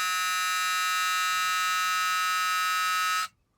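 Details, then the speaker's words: 1982 Ford truck after fuel pressure regulator install, about 6.5 psi when running; at key-on a loud, steady, harsh warning buzzer sounds for about three seconds then cuts off, source unknown. "i need to figure out what that buzzer is i'm gonna get rid of that buzzer it drives me nuts every time this thing this key turns on"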